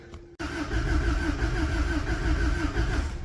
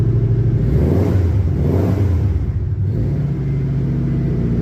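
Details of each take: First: Cold snowy start on an old vehicle with a wiggled battery terminal, testing whether it pumps fuel: a click, then the starter churns unevenly at three beats a second for three seconds with no catch. Cranks, no start; cause unconfirmed. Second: Old boxy flat-four car on a snowy cold start: a steady, even low rumble just after it catches, with a slight rev blip and no knocks or misses. It runs clean, though low on fuel.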